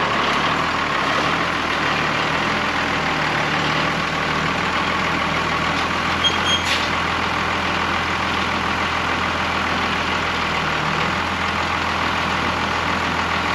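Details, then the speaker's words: Old Oshkosh airport plow truck repowered with Cummins 6BT diesel, first run after 10+ years sitting: steady loud hiss over even idle, independent of engine speed; air brake line leaking once pressure builds. "I have an air pressure problem with the brakes let me show you this line right here seems to leak a little bit go figure but when it buil builds up pressure I got it pourn out here it gets real loud in here so I got to fix that before I go any further"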